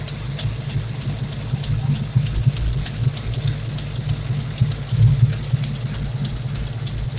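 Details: 351 Windsor SVO V8 hot rod at idle after a valve lash adjustment, engine bay: steady idle with sharp ticks and puffs in time with the firing. Driver-side header gasket leaking exhaust; the pre-existing headers are to be replaced.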